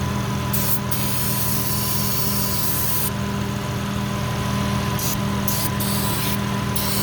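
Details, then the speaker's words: Fully warmed-up engine at idle during a vacuum leak test, brake parts cleaner sprayed around cylinders 5 and 6: even, steady idle holds speed through the spray bursts with no stumble or rise, so no leak shows there; leak suspected, not confirmed. "And I'm not hearing it."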